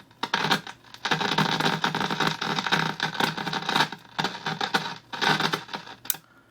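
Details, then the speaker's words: RCA 66X1 radio after cap replacement: irregular bursts of harsh crackle and sputter persist, unaffected by volume; intermittent fault still unlocated. Cause suspected, not confirmed. "well you can hear it's still making the noise same thing volume doesn't make any difference"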